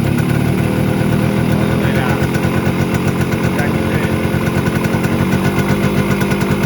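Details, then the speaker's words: Kawasaki KB100 two-stroke motorcycle with an untuned carburetor: a fast, uneven putter at idle whose rhythm wavers and stumbles; mileage is fine but slow running is not yet set, so the carburetor needs tuning with the engine warmed up. "Mileage കിട്ടുന്നുണ്ട് പക്ഷേ അതിന്റെ slow working കാര്യങ്ങൾ ഒന്നും ready ആയിട്ടില്ല"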